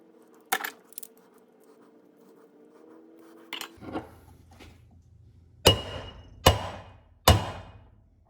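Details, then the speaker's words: 1955-66 Ford Thunderbird wheel bearing race being hammered into the hub: sharp blows ring brighter and more solid toward the end, the pitch change showing the race is fully seated. "it's going harder that's for sure you can hear the difference in tone"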